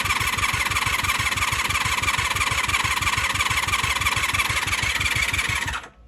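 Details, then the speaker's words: 1996 Honda Magna 750 VF750CD after new spark plugs, coolant refill and battery charge, cranking on choke: steady starter cranking at about three turns a second with no firing, then it stops; cranks but won't start. "Let's start cranking. Trying. Trying, but not firing. She's trying. You can hear it."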